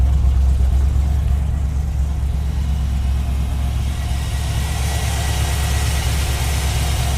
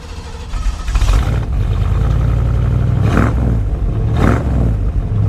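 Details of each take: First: 1970 Chevrolet Suburban V8 just after cold start, given a little gas: steady, even rumble through loud exhaust with no misses or knocks, running rather rich; healthy idle. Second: 1970 Chevy Suburban V8, just bought: fires and settles into a loud, lumpy, deep idle with throttle blips; runs pretty good but rich overall.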